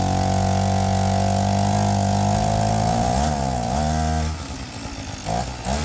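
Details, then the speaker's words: APC Mini Chopper two-stroke engine with a raspy buzz held steady, then dropping and blipping, with a sharp puffing edge. Exhaust is leaking at the muffler gasket; the owner plans to fit a graphite gasket. "yeah it's definitely coming out the uh the muffler"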